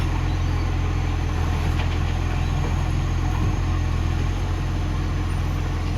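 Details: Ex-Canberra vehicle 728 at a loud, steady diesel idle with a rapid, ragged puffing chuff over the low rumble, about four a second: a loud exhaust leak.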